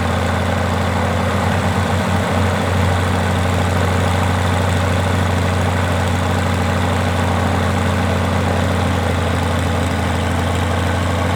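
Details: Rotec R2800 radial engine on an Aerolab LoCamp prototype airplane, first start after long-term storage and reassembly, fuel pump on: deep, steady drone with an even low throb that never stumbles; normal, healthy running.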